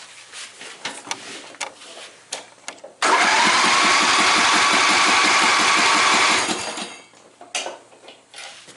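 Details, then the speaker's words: John Deere Sabre lawn mower with new spark plug, choke on, fuel turned on: about three seconds of steady even cranking that never fires; no fuel flowing to the carburettor, fuel-starved; starts right up once fuel flow restored. "Alright, I got gas in it, turn the fuel on. Alright, nothing's coming out. Let's see if when we crank it over."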